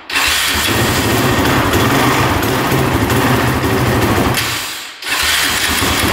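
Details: Honda TRX450 quad that bogs and won't rev out, choke on, fuel on reserve: rough, uneven running with loud chattering clatter from the top end, sagging and nearly dying; carb seen leaking, possibly flooding.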